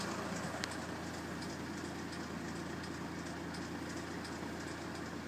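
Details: BMW N47 177bhp diesel with 127,000 km, idling with a light, fast metallic rattle ticking over the engine note. Worn timing chain, not yet repaired.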